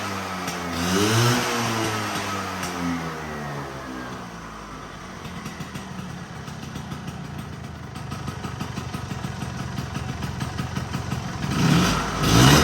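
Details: Vespa V9B1T 100 two-stroke scooter after carburetor rebuild: crisp buzz climbs cleanly on throttle blips, then drops back to a steady, even idle; normal running.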